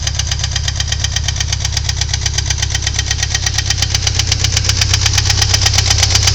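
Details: 2.3 L Ford Thunderbird Turbo Coupe at idle: a sharp, even tick about 160 times a minute over the engine note; owner suspects valve knock, not confirmed.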